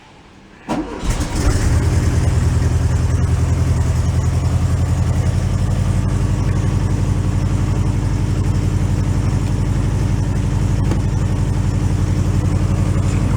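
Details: 1968 VW Beetle air-cooled engine, sitting 5 years and running on old gas, catches after a short crank and settles straight into a steady, even idle with no knocks or misses; good oil pressure.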